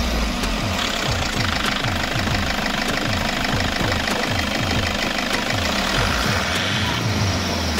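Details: 2007 Toyota Hiace 2KD-FTV 2.5 diesel after an oil change with Toyota Genuine oil, warm after running a while with temperature gauge low, cylinder head cover refitted: even clatter through quick repeated revs, no stray knocks or misses; normal running.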